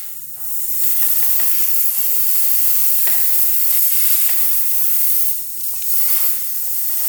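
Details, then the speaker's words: 2000 Honda CR125 two-stroke with a severe bog, engine off, crankcase pressure-tested: a steady sharp hiss as air leaks out right away at the crank seal under the cover. "it's leaking out right away"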